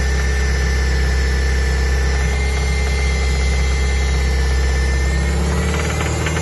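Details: 2002 Toyota MR2 Spyder, 86.7k miles: loose knock about three to four per second over steady engine drone, seemingly from top right of engine bay, appeared suddenly while driving, inconsistent, peaks near 3000 rpm, quieter at high rpm and idle; owner fears rods, unconfirmed.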